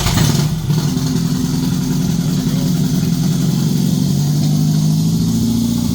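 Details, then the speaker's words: First startup of the swapped engine in a MK1 VW Rabbit pickup, with harness, throttle body, fuel lines and coil, cooling not yet done; no fuel leaks. Catches quickly and settles into a steady, low, even run, no misses or knocks. Normal startup. "does no le think we're good good yeah no leaks no leaks no fuel fuel leaks or anything no fuel leaks mainly and we got it we still have to do the cooling but we fire it up that's what pretty much is important"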